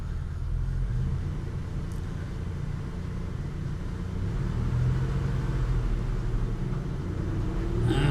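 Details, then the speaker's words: 2005 Buick Terraza with a 4T65-E automatic transmission, on jack stands with the wheels spinning: steady low drivetrain rumble with a gritty grinding that starts in second gear; grinding inside the transmission, cause undetermined. "see the grinding didn't kick in until second gear okay let's come back down"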